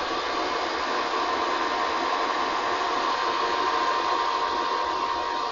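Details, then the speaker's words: Korad KEL2020/KEL2040 1500 W electronic load: cooling fan kicks in only when needed, around 300–500 W sustained load (silent at 200 W), runs 10–15 s more then stops; steady loud rushing airflow with faint even tone near 1 kHz, fan flat out; normal cooling. "comes and then it stops again after a while I think it it run like 10 15 seconds more and then it just stops again so yes you will hear a little bit of sound and it's quite a bit even but only when necessary"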